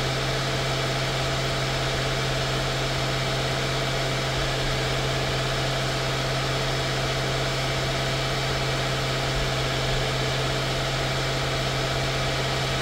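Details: 2016 Mercedes-Benz S550 W222: smooth, steady idle, even low hum, no knocks, ticks or misses throughout; normal idle.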